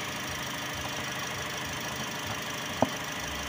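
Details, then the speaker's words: Car with high fuel consumption, idling after throttle body cleaning. Steady, even idle hum with no rhythmic knock or shaking, just a couple of stray clicks. It idles smoothly with no engine vibration. "Mga boss, napakaganda yung indoor niya boss, walang ka vibrate yung makina."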